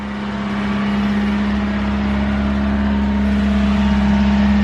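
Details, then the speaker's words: 1987 Honda CRX HF 5-speed, recent timing belt and head gasket, sat about 7 months: steady four-cylinder hum while still cold, no ticks, knocks or misses, no smoke, a normal idle. "It's running, no smoke."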